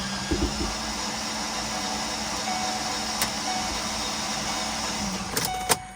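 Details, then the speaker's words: 2008 Ford Explorer whose engine died while driving, cranked from inside the cab: starter spins fast and even for about five seconds with no compression chuffs and no firing; absolutely no compression, cause not yet confirmed. "you guys hear that this thing has absolutely no compression"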